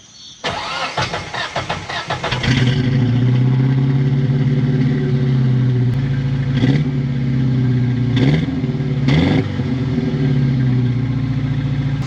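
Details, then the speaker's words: Geo car down on power, about 14 mpg and running hot, owner suspects head gasket; started before a compression test: cranks, catches, then an uneven stumbling idle with throttle blips; possible low compression in one cylinder. "my geo started running like absolute crap i got like 14 miles a gallon and it's just down on power and it's been getting kind of hot so i suspect it's a head gasket"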